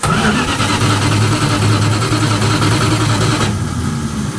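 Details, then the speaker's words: 1967 Dodge Dart, sat over 5 years, starter reinstalled with its retaining pin kept in: starter spins the engine briskly and evenly, about two and a half turns a second, no grinding or clicking; cranking normally. "well she's definitely spinning the engine"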